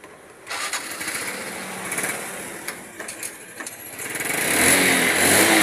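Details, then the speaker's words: Motorcycle (Wave Alpha type) that intermittently misfired and nearly stalled, CDI faulty; after replacing the CDI and converting to four-pin it cranks, catches and settles into a clean steady run, now okay. "Okay na ho siya. Naro test na rin siya ng may-ari ni bossing Rene."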